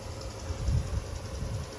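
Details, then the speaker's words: GE 6200 BTU window AC after cleaning, heard from outside: a low, steady hum with a faint whirr and some wind; the compressor keeps running without shutting off and the unit sounds healthy. "It's super nice to come out here and to hear the AC run. It's a nice feeling. I think the compressor better not shut off. It didn't."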